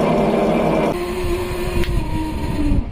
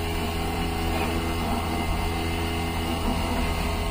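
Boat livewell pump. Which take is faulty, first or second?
first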